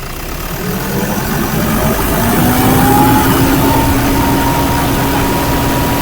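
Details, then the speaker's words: Toyota Fortuner diesel, owner complains of a very noisy turbo that was previously removed, with its gasket replaced: revved, a loud siren-like whistle climbs with engine speed and holds high; turbo whine. "Okay. Pakinggan natin yung ingay ng turbo, no? Sige nga, paki-revolution mo nga."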